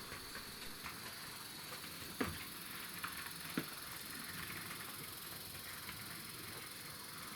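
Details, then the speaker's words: 2012 Hornby Class 60 model locomotive after worm gears were cleaned out: quiet even hum with only a couple of faint clicks at various speeds; smooth, no gear grinding, fixed. "wow so I think you get the picture it's running really well isn't it it's as it should have been in the first place"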